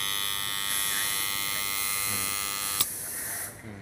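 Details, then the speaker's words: Magnetic contactor with 220VAC coil measuring about 2k ohms, plugged straight into mains; loud steady buzz with a rattling edge, coil heats and is unusable. Rusted core faces keep the armature from seating, so it chatters. "ดังนะครับอันนี้นะครับมันจะใช้ไม่ได้ครับเงี้ยมันจะเกิดความร้อนนะครับ"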